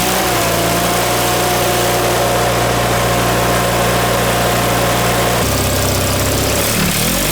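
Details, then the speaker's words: John Deere 318 twin-cylinder engine after reinstall with a reworked manifold fixing surging, new plugs, wires and oil, shrouds off; steady even idle with no surging, slight dip near the end, running good. "Yeah, she's running good, man. She's running good, Ma."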